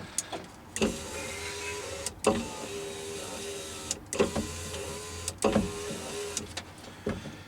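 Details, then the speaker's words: Van driver's-side power window regulator, glass riveted to carriage: short motor whirs with a hard clack at each end of travel; regulator still moves but small plastic clips holding the piece and the cable-end hook are broken, cracks throughout, needs new regulator. "but what happened was a little clip a little clip that holds this piece in broke so this doesn't stay put anymore"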